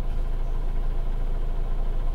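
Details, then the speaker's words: 2007 Toyota Avensis 2.0 petrol automatic, 225,000 km, after throttle body cleaning, warm: low even idle hum around 810–830 rpm, no hunting or surging, tachometer steady; normal idle, dips slightly to about 760 in gear. "стабилизируется но тем не менее обороты стабильны не плавают не скачат тахометр стоит на месте"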